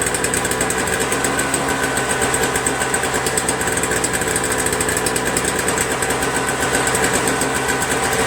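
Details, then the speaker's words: Toro Snow Commander 7HP R-Tek 24" single-stage snowblower, previously no spark and wouldn't start; spark returned by itself without magneto replacement: quick, even single-cylinder putter, steady, no misses or surging; running normally. "I guess the good news is that I don't have to remove it now you know it was working the whole time"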